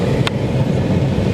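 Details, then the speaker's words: 2006 Nissan Frontier 4.0 V6 heater/AC blower, which previously only worked on speed 4, now working on all speeds after the repair; steady, even rush of air at top speed with no rubbing or ticking, healthy motor. "let's start the car now let's see the blower motor it's working see that you hear that number one number two three number four"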